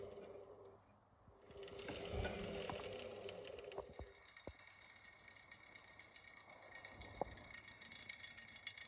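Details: Beko Aquatech WMY91466AQ washer, inverter motor: light irregular clicks and rattles over faint motor hum from clicking motor bearings; fixed by bending the wavy tension ring between rear bearing and housing.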